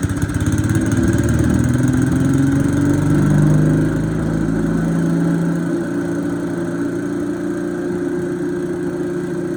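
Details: Bolens 3.5 chipper shredder small single-cylinder engine, first run after about 20 years stored outside: settles from higher rev to a steady, even putter, no misses or knocks; normal running.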